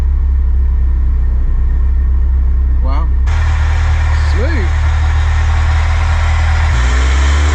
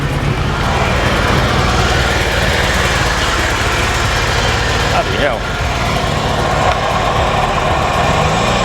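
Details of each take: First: Ferrari 308 project driven after repair at a Ferrari specialist, previously running awfully: steady even low drone, no knocks, misses or stumbles; engine pulls cleanly and smoothly, though rubbers still need replacing. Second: Ferrari 308 V8 project at first start, despite previous plugs and leads work: rough idle with uneven stumbling beat and deep rumble, misfiring badly; some oil pressure present.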